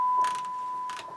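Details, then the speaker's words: Marantz 2250B 1970s receiver on bench with 1 kHz test tone on auxiliary: short crackly bursts as the bass, mid and treble pots are swept, still scratchy at travel ends despite cleaning and DeoxIT, mid-range worst. "even though i clean these base mid treble pots they're still scratchy and put deox in them they're still a little bit scratchy on the ends of the travel"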